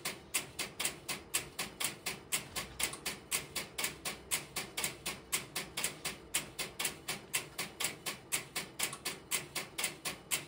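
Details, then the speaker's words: Idle No. 3 crossbar telephone switching system, camera in its aisles with step-by-step interrupter relays in background: steady crisp ticking about once a second, evenly paced; normal idle. "I've relocated the camera to the next aisle over, which you will hear the interrupter relays in the background, but they will be at a reduced level."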